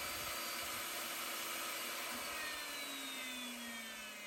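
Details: Old Craftsman jointer after restoration and table calibration, about to joint a piece of wood: steady high whirring hiss of the cutterhead spinning evenly, no knocks or rattles; runs smoothly.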